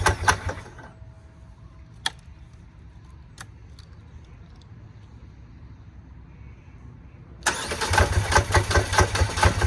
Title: Hard starting/idle video #2